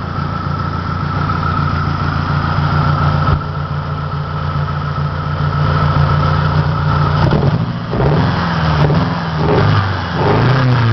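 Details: 1993 Saturn SW2 in park, low on power, with the check engine light reported both off and on: lumpy, uneven idle with an irregular stumble and loping exhaust pulse. Engine misfiring at idle.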